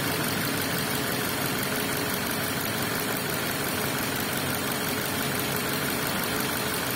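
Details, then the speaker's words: Suzuki Ignis manual petrol engine at idle and revved after replacing the V-belt tensioner bearing and adjusting the fan belt; even steady hum, the earlier growl from the belt drive is gone. "kecepatan ideal dan kita gas nah ini udah tidak ada suaranya apa yang ngorok seperti tadi ya"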